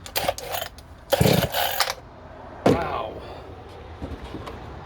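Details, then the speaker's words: New Dereal chainsaw, first-ever startup, two-stroke fuel mixed 25:1 for break-in: several rough pull-cord bursts, each a brief rasping churn that dies away without catching; hard starting. "that's not starting very easy"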